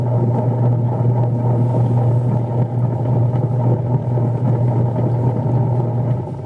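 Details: Noisy single-tub washing machine running its wash timer forward and reverse: loud, steady, low droning rumble with a rough gravelly edge throughout; the motor sits underneath.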